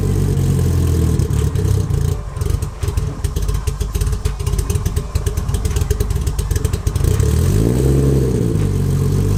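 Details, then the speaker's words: Nissan 240SX with RB25 swap on a hot day: cold start gives a low uneven idle with clattery pulses and unsteady revs, then smoother revving; owner unsure if the tune or the deleted cold start valve, IACV and auxiliary air valve are to blame. "I'm not sure if that's the tune or because I don't have a cold start valve or IACV or the auxiliary air valve. All that's deleted off the engine."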